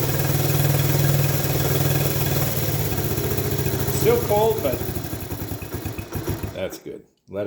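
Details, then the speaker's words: Honda ATC70 after rebuild, first start still cold on a remote fuel reservoir and CT70 coil: small single putters at a steady even idle, about three beats a second, no knocks or rattles; normal cold idle. "let's hear how it sounds oh yeah all right nice and quiet super quiet"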